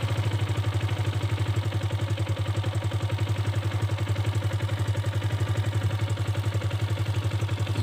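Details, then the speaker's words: Idle on a 2021 Kawasaki KLX 150 G carbureted single after turning the carburetor idle adjuster knob counterclockwise to lower it: low, steady thumping at about seven to eight even beats a second, no misses or hunting; normal idle. "ini untuk merendahkan lagi kita putar kekiri yang berlawanan arah jarum jam ini mesin stasioner akan kembali rendah"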